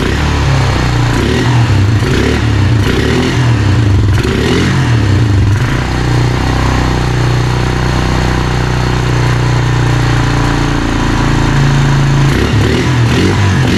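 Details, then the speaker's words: Honda Rancher TRX350FM3 350cc air-cooled ATV after a carburetor rebuild for hard starting and fuel overflow, oil unchecked: a few light blips, then a steady, even low thrum with no misses; idle and air-fuel mixture good. "idle's good looks like I got the idle air control and everything the air fuel mixture is good"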